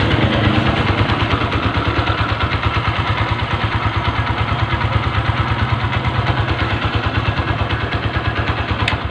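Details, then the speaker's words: Honda Verza motorcycle after replacing left and right valves and rocker arms (original camshaft kept), previously very rough engine: even low thumping about three beats a second, no ticking or rattle; smooth healthy idle. "Joss banget suaranya halus banget seperti sedia kala"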